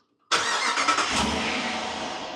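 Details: 2024 Dodge Durango, start after engine flush and AMSOIL synthetic oil change, 105°F outside: starter catches instantly, settles into smooth, steady idle, no knocks or ticks; healthy.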